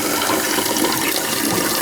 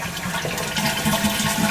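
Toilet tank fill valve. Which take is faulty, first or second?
first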